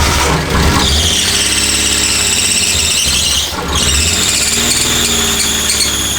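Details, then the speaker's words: R32 Nissan Skyline with replacement used RB20 after original threw a con rod, first run after swap, vacuum lines possibly disconnected: loud high-pitched squeal over running engine, dipping and returning; all accessory belts loose and slipping. "It runs! Don't mind all the squealing though, that's because every single belt's loose, but hell yeah."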